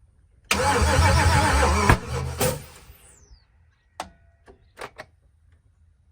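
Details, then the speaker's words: Gen4 LS-swapped Cutlass, first start attempt with fuel pressure around 50 psi; starter grinds about a second and a half, then a few sharp pops with no catch; crank no start because the coil harness was swapped wrong. "it started not on the first time but that's cuz I had the Hornet swapped swapped wrong the coil Hornet but other than that she started ain't give me no problems"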